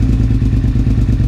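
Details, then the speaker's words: 2001 Suzuki SV650S, first start after valve shim adjustment and carb work, on choke: lumpy V-twin idle with uneven popping and spitting; a vacuum plug had fallen off the carb, causing a vacuum leak. "I may also have a vacuum leak somewhere. I may have a leak from that. I 100% have a leak. My plug fell off."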